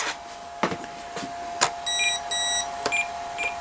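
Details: Durafly Komet RC foam plane with 3S battery swapped in, propeller off: repeating bursts of high steady beeps over faint clicks from the speed controller, controls work but the motor gets no power; cause unknown.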